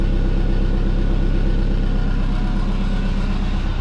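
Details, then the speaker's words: Twin-turbo Subaru running: deep steady engine note with a rapid uneven puffing chuff from an exhaust leak at the turbo wastegate. A stripped, loose bolt is to be replaced and two clamps tightened. "found a lake uh the wastegate the tile westgate so it was actually leaking out of here so i'm going to tighten those two clamps up"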